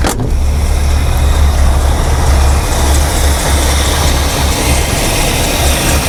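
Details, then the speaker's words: 1968 Mercury with a 390 Ford FE V8 after sitting 15 years, air cleaner off: lumpy, uneven, loping idle that smooths out when the line is pinched; vacuum leak through a rotted power brake booster diaphragm. "hear our idle down now she's smoothing out that's a definite leak right in here it's just sucking right past the uh power brake booster"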